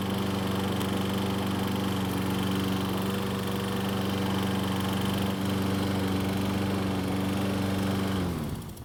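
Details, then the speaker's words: Troy-Bilt self-propelled mower running in gear: steady hum with fast rattly recoil starter chatter until shutdown, pawls catching the cup. It went away once the rope was released from the handlebar guide; flex of the plastic lower portion is suspected. "so as you can see and here there's a very annoying sound coming from The Recoil that seemed to go away after releasing the rope from the guide on The Handlebar"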